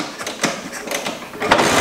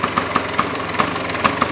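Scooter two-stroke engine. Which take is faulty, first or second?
first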